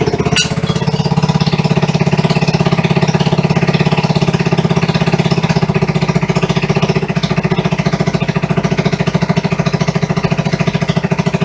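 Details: 1974 Honda XR75 first start after two-year restoration, on non-ethanol premium fuel, choke off: quick, even thumping single-cylinder fast idle, steady with no knocks or misses; runs healthy.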